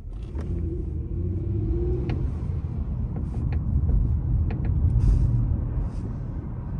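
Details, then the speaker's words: 2007 Toyota Camry V6 LE with over 200k miles, driving: irregular light creaks and ticks over road rumble from the sunroof structure, a known Camry problem. "that creaking sound that's that's all over that's actually from the sunroof structure this is a notorious problem for these Camry's"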